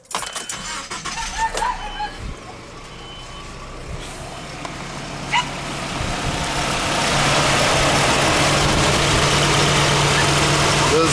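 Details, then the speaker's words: 1997 Nissan truck engine, still warm: yard sounds, then cranks, catches and settles into steady even idle with no knocks or squeals; sounds healthy, minor oil seep at valve cover. "seem to be perfectly on there engine sounds good"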